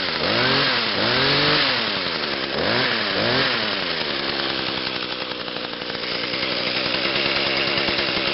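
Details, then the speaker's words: 2010 Echo HC 150 hedge trimmer, 21.2cc two-stroke, on choke after priming, sat a couple of weeks: a few rising pull-start rips, then a bright, buzzy run settling steady and even; starts on three pulls, normal. "that started on three pulls not too bad after sitting for a couple of weeks"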